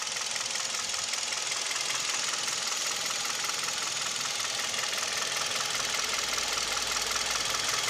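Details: Kia/Hyundai Theta II G4KD petrol engine at idle, recorded from inside the cabin: clear regular knocking around two and a half per second, steady throughout over the idle; piston knock with vibration, knock also reported at 1500 rpm.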